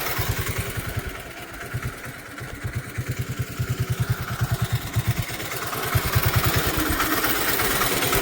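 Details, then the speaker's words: Bonser auto truck, first start with new engine, heard at the tailpipe, throttle not yet connected: slow single-cylinder chuffing about three beats a second, swelling and sagging; idle hunts, carburetor likely needs adjusting when hot. "I think we've got to adjust that carburetor when she gets hot. She's a little bit hunty. But I think it'll be fine."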